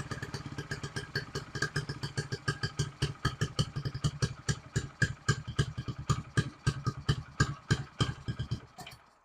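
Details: 1974 Honda XR75 dirt bike, choked start with only float adjusted (idle jet changed 38 to 35, various needles/slides tried): ragged uneven popping about three firings a second, never settles to steady idle, fades and stalls; won't idle.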